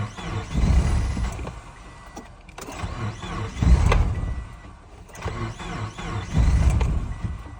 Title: 2007 Subaru Forester 2.5XS extreme cold hard start